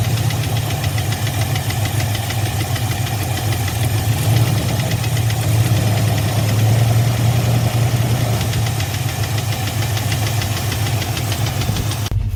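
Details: Fox-body Mustang LX convertible with GT-converted engine, transmission and rear end, sat in a garage over 6 years, broken doing burnouts: rough uneven knock at idle over a low rumble, louder inside, gone near 1,500 rpm; oil pressure good but drops after driving.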